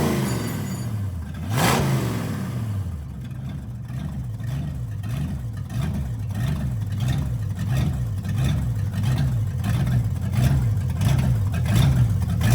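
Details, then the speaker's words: 1965 Ford Galaxie V8 bought sight unseen, had water in engine, first run on petrol after carb float/mixture setting: light tick about every two-thirds second from top of engine as revs rise and fall; dry rockers suspected, unconfirmed. "can you hear it there's a bit of a clicking sound coming from the top of the engine we didn't know whether this was dry rockers so we would have to do some investigation"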